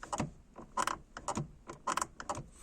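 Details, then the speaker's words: Car gear lever moved across the gate with selector cables disconnected, still stiff: short irregular creaks and plastic clunks; owner suspects the plastic connector in the mechanism bends and binds, after losing gear selection on a test drive. "what I think the problem is is where the connector is in here you can hear the plastic Bend when I go across the gate"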